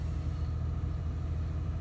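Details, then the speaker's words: 2007 diesel truck, 12 years old, 167,000 km (just over 100,000 miles), low on fuel, sat overnight at about -20 °C; fires right up into a low, steady, even idle with no knocks or misses. "she fired right up if you want to go somewhere that's your that's your solution right there"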